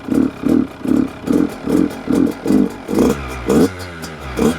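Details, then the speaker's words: Brand new 2026 Yamaha YZ85 two-stroke on 32:1 Amsoil Interceptor, 91 non-oxy fuel, just started on choke after several kicks: surges and stumbles in uneven bursts, smoky, sounding flooded; suspected running very rich, fouling plugs. "Sounded like it was flooded over maybe. Warm up for a minute here."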